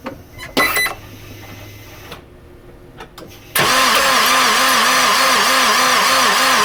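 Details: 2000 Honda Insight engine just after starting: a steady whine over the engine with a pulsing warble about twice a second. A bad water pump is only suspected.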